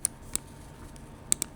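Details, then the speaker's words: Finalmouse ULX Frostlord mouse: sharp clicks in a quiet room, one press giving two quick clicks; pressing too hard in the middle of the left-button (M1) paddle near the wheel also depresses the middle button (M3). "So if you press too hard in the middle of the paddle on M1, it will also depress M3 as well."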